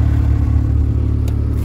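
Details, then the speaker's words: 1988 Toyota MR2 AW11 after idle adjustment and manual transmission gear oil change: smooth, even low engine drone with steady pulses and no misses or knocks; runs cleanly. "I'm actually kind of proud of this little car it sure does run good now"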